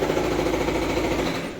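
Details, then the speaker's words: Volvo V40 4-cylinder engine at idle: fast, hard "kadakada" rattle that stops at shutdown, caused by a failed crankshaft vibration damper pulley whose inner arm milling has worn away; rare complaint. "ഇതിങ്ങനെ full കണ്ടോ ഈ sound കേട്ടോ. അപ്പോൾ വണ്ടി start ചെയ്യുമ്പോൾ കടകടകടകടാന്ന് അടിച്ചുകൊണ്ടിരിക്കും."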